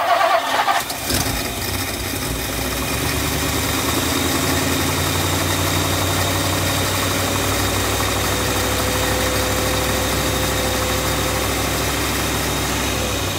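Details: 1959 Lincoln with a new ignition switch: the engine cranks, catches and settles into a weak, wavering idle, sounding fuel-starved; fuel delivery is worsening, the fuel pump is known weak, cause not confirmed.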